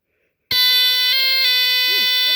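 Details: Rare early Dicon 200 smoke detector (no LED), test button held after a finicky battery install; sudden loud, steady high-pitched horn holds continuously, alarm sounding normally on test.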